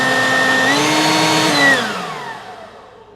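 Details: Off-brand two-speed leaf blower, second unit bought after the first failed, running outdoors behind the workshop: smooth steady motor whine stepping up in pitch at the speed change, winding down evenly at switch-off; normal running.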